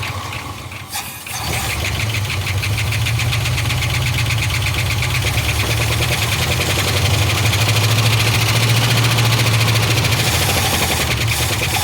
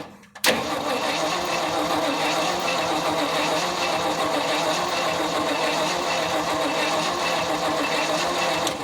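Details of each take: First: 1975 Ford F500 rollback truck sat 17 years in a field, run from a secondary fuel can: engine catches, runs lumpy and uneven about ten seconds, then dies; owner suspects the fuel pump isn't pumping. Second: 1975 Ford F500 rollback truck that sat 17 years, test light on the coil negative to check the points, coil positive unpowered: steady, even starter whirr cranking about eight seconds without firing. Normal cranking with ignition disabled.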